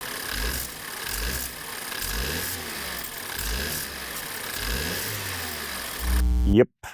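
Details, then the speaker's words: 2013 BMW F10 528i with N20 four-cylinder turbo revving with a light metallic rattle: constantly rattling wastegate, with random boost codes; common fault, fixed by removing turbo and rebuilding it with a new cartridge. "The rattle that you heard, that's the resate. It is a very common problem with these motors."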